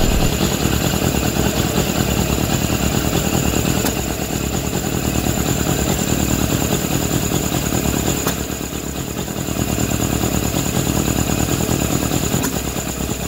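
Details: Suzuki GSF600 carbureted four-cylinder idle wandering and stumbling, rising and sagging every few seconds after intake boots tightened; owner suspects vacuum leak, with carb #3 or #4 leaking; unconfirmed.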